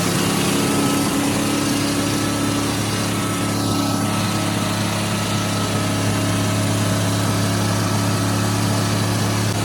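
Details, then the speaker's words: 1979 Ford truck V8 restarted after a severed spark plug wire, run on seven cylinders at full throttle: loud, steady, high-revving roar with an uneven, lumpy beat underneath; a dead-cylinder misfire, and the engine later overheated and sprayed coolant. "we're gonna put the batteries back and try to start again see if it'll run on seven cylinders"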